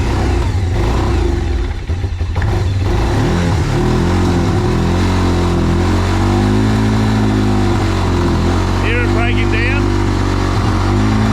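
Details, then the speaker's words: Quad bike after a carburettor change, air filter over-oiled and starving the intake of air: engine drones but stumbles and sags instead of climbing when revved in gear; bogging from over-oiled air filter. "because when you get the revs up in gear it just breaks down it literally breaks down you can hear it"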